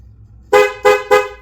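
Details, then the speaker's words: 2008 Ford Econoline van 4.6L, horn switch wire grounded directly at the relay during diagnosis: three short, clean horn blasts with steady tone, no rasp or dropout; horn and relay work. "Touch it on ground, and the horn works."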